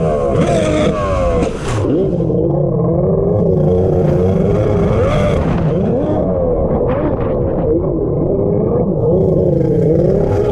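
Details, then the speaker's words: Two-stroke X2 jet ski on a lake revs unevenly with a blubbery, wavering note that never clears; it runs really rich despite being leaned out. The cause was later found to be a water leak inside the hull. "I don't know if you guys are picking up on that but the X2 is clearly not working properly it sounds like it's running really rich even though I've been leaning it out"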